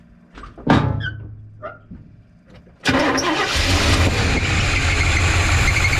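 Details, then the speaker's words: 1985 GMC C25 gasoline engine, run without choke after idle was raised because it would start but not stay running: slow cranking bursts, then an uneven, lumpy, irregular idle; rough running, owner suspects timing is off. "I think that timing's no good. There's probably some problems in here."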